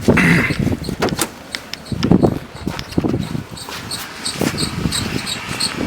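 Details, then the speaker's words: 2006 Ford Taurus 3.0L V6 running at idle: quick, repeating high chirps that follow belt speed over a quiet engine, quieter than a minute earlier, from a bad idler pulley bearing that is to be replaced. "now it's actually calmed down quite a bit it was pretty bad just a minute ago but uh you hear that chirping"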